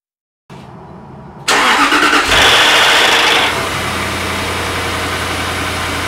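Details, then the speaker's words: 2004 Jaguar XK8 cold start: loud starter pre-engagement, about six cranks, then a very loud metallic top-end timing chain rattle that fades within seconds into steady idle; addressed with a pre-lubrication system. "this is the car cranking so um the starter motor U pre-engagement noise is quite high as it goes in and it cranks about uh 1 2 three four five six times and then you hear that very loud rattling noise which then starts to diminish"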